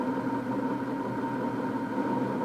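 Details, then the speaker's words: Horizontal stone mill after run-in, stones parallel and tightened with clutch handle and hand wheel: constant steady grinding drone with firm mid tone, no knocks or surges; correctly adjusted normal grinding. "tighten the clutch handle and hand wheel again until you can hear a constant grinding sound grind for a further half hour"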